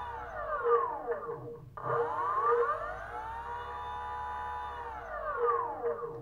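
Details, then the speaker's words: BLDC 6384 140kv motor on e-bike controller, hall sensors reconnected: clean whine rising and falling smoothly, no grinding; roughness gone, smooth startup, about 1.26 amps. "as you can see now we don't have that roughness anymore see nice and smooth even the startup"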